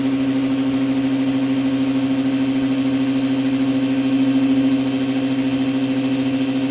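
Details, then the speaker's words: New Orazio air compressor on its first test run after unboxing, with air hose and blow gun connected and filling toward 8 bar: steady hum with a quick, even pumping beat of about three strokes a second, no knocks or rattles; normal running. "And let's fire it up and see how long it gets to get up to 8 bar of pressure."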